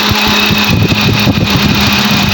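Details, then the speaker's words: Both radiator cooling fans of a Kia/Hyundai switch on and run with an even whooshing roar over the idling engine after fan repair; fans now normal, though head gasket is blown. "ये देखो भी ऑन है, ये भी ऑन, ठीक है। फ़ैन दोनों इसके चल रहे हैं।"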